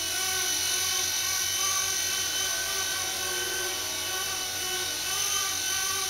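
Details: Blade mCP X micro helicopter after a Z8RC boom truss mod that cured severe vibration: a steady high-pitched motor and rotor buzz with no beat or shudder; normal rotor sound.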